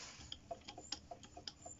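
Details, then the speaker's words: Honda CB125 RS during restoration, valve repeatedly blowing when exhaust fitted: light, sharp ticking knock about four to five per second; possible connecting rod play suspected, bottom-end knock cause unconfirmed. "bit of a knocking noise there and for the little bit of play that could be in the conroad i have no clue what what keeps going wrong with this bait"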